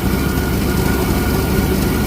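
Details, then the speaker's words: 1964 Holden EH ute after fuel line priming following fuel pumping problem, suspected tank blockage; deep, steady low idle, even beat, no stumbles or misses; running with some fuel reaching bulb and filter. "All right. So, now it's running. You can see there is a little bit of fuel coming in."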